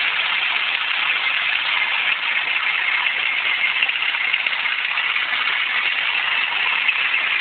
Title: grinding noise from my engine